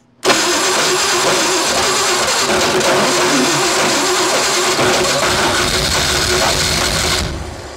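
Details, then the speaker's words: Classic Ford 4x4 project bought sight unseen, first start with coils briefly run on 12 volts; the starter sounded slightly grindy while cranking: catches almost at once and holds a steady, busy idle for about seven seconds; engine starts and runs. "right all right well now I know it runs I'm going to hook up the we got her all right"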